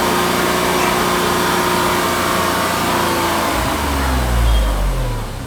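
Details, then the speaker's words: Tata Tigor BS6 three-cylinder petrol, bonnet open, noise meter near engine: revs rise smoothly under raised throttle, loud but even hum with no knocks or rattles, peaking about 78 dB; normal revving. "so guys maximum it is touching up to 78 db i think it is average and good for a three cylinder engine"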